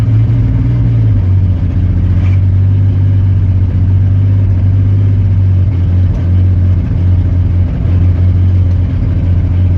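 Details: Chevy 4.3 engine: steady low throbbing idle with an uneven beat in the exhaust note; engine misfire.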